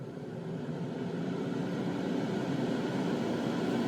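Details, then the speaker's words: New exhaust fan on a spray booth with filter pad, running at full blast: steady, even rush of air, pretty quiet, no rattles, rubbing or wobble; healthy fan before being dialed to half speed. "that's full blast that's pretty quiet let's dial it halfway"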